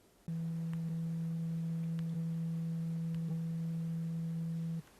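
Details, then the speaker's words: Samsung Galaxy Z Fold2 in vibrate mode while closed: steady low buzz for about four and a half seconds, far louder than it should be, as the two assembled halves rattle against each other and amplify the vibration. "Si vous choisissez d'activer le mode "vibreur", c'est sûr le téléphone portable vibre, mais il doit vibrer silencieusement; au lieu de cela, il y a trop de bruit ici."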